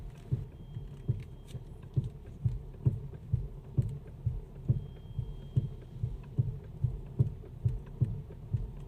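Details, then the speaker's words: Mercedes-Benz GL350 with air suspension, over ten years old, about 260,000 km, burns oil: dull thumps about once a second when turning the steering left and right, caused by worn steering rack mount rubber bushings (four total); gone after replacing them. "这种咚咚咚的声音。马上把车升起来看一下底盘是不是有地方坏掉了。这个异响的原因已经找到了，就是这个方向机的胶套损坏了。"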